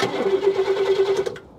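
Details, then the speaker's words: 1969 Cadillac Eldorado with 21,000 original miles, sat about 20 years, first crank attempt: even, quick starter chug at a steady pace for about a second, no firing yet; healthy cranking. "this sounds healthy do it do it one more time okay that sounds pretty good"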